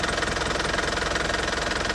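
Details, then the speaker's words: Used Isuzu ELF diesel microbus at idle: steady, even diesel clatter with a regular, smooth beat, no limping, roughness or odd knocks; when revved it stays crisp and returns quickly to idle, a healthy engine. "mesinnya itu kalau mesin bagus sudah sudah terlihat ya ya iramanya lebih halus kayak gitu tidak terdengar pincang ataupun kasar-kasar kasarnya mesin diesel"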